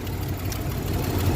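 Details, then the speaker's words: Old 3-litre EFI car at auction, cold just after first start: low, slightly uneven idle rumble, running acceptably but needing to warm up. "you know just a little cold and usually EFI you don't have that issue but seems to run okay"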